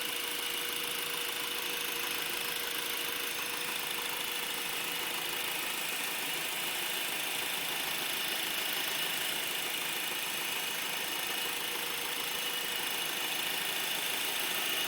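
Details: Brand-new 2012 Honda Accord LX at idle: a thin, high-pitched hissing squeak/screech sits steadily over the idle without changing; dealer says normal, but owner can't hear it on an identical car; cause unknown.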